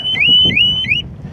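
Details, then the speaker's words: Harley-Davidson Smart Siren 2 alarm on a 2020 Tri Glide triggered by violently rocking the bike: loud high-pitched siren sweeping upward about three times a second, then stopping; motion detection needs violent rocking on the trike, and the fob's proximity shuts it off. "I'm going to shake it this is what it takes to set this thing off a violent rocking"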